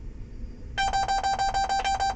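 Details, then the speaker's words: John Deere 6415 tractor or W235 swather cab: quick run of even high-pitched warning beeps, about seven a second, repeating; SCR inlet temperature fault code active, owner suspects inlet temperature sensor, not confirmed. "that's just annoying that damn beeping I wonder if we can well let's see what it says here I'll have to listen to this beeping I can't shut it off guys"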